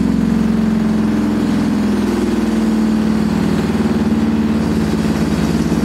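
Loud, continuous rumbling roar with a droning hum that throbs steadily through the spin; typical of badly worn drum bearings.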